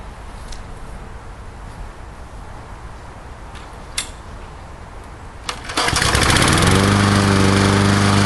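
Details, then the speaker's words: Murray Dynamark 22 mower with a 3.75 hp Briggs & Stratton engine, restarted after 15–20 minutes following its first run in 7 years, with a fresh sharpened blade. Startup smoke has cleared, and it settles into a steady, even buzz with no misfires: normal running. "I'll fire it up one more time, and like I say, I think the smoke pretty much cleared up. That was just from sitting."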